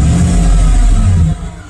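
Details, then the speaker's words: Chevy truck after ignition coil pack replacement: quick throttle blip rises and settles back cleanly with even note, no misfire stumble; runs smoothly, rough running from bad coil pack fixed. "runs a lot smoother bad coal pack"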